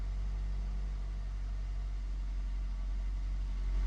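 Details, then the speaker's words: Engine first start after intake manifold gasket and IAC valve replacement: steady low idle rumble, even beat, no misses or knocks, running on all four cylinders during cold warm-up. "There we go, baby. Yeah. Harry, good to go. Running on all four. Nice warm-up idle."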